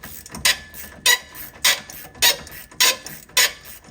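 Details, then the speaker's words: Jeep JL Mopar lift shock absorber, original since 2019 and heavily used, hand-cycled: sharp raspy squawk on every compression stroke, like an angry donkey; still has some damping but soft on the downstroke. "This sounds terrible. Kind of sounds like an angry donkey. Yeah, this one's still a good shock."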